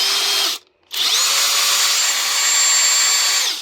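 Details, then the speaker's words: Parkside Performance X20V Team impact driver after repair with adapter and AliExpress board, trigger spring left out: clean, even high-pitched whine spinning up quickly and holding steady, no rattle or grinding; normal running. "ça fonctionne. Impeccable aux petits oignons."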